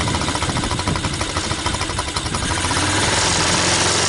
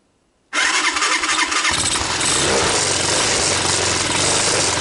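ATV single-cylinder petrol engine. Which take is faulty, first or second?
first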